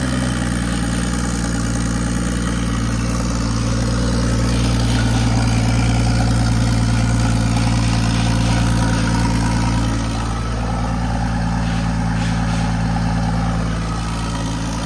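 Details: Nissan Skyline R34 drift car with its rebuilt engine refitted, first start after reassembly to test new wiring; steady, even idle with a deep rumble and a brief rise in speed, no knocks or stumbles; normal idle.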